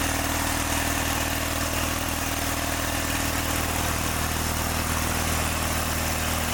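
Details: John Deere 318 lawn tractor engine holds a flat, slightly uneven beat at steady speed with no crispness, and it got hot fast; points gapped too tight are starving the spark, not the valves it also needed.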